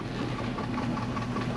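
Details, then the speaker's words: Dodge 4.7L V8 with about 200,601 miles, warm after a 15-mile drive, following replacement of the lifters and checks of the fulcrums; a light quick clicking at idle that the stethoscope places at the valve cover; tick returned, source unconfirmed. "So, it's clicking. You can hear it. And I use the stethoscope. It's It's coming uh from the valve cover"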